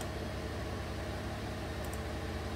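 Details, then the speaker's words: 2016 Chevrolet Colorado 3.6 V6 idling smooth and even with no stumbles after fixing P0300/P0303 misfire (over 15,000 misfires on cylinder 3) by replacing spark plugs and walnut-blasting intake valves; normal idle. "take it for a road test i'm sure it's going to be okay running nice and smooth now thanks for watching"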